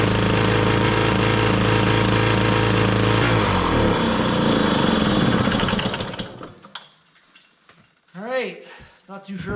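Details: 1968 Ski-Doo Super Alpine, 370 opposed Rotax two-stroke, first start in two years at -23°C. It runs only about a minute on constant choke with a choppy, uneven beat that sags and dies, a burnt belt smell and smoke under the engine; cause unconfirmed.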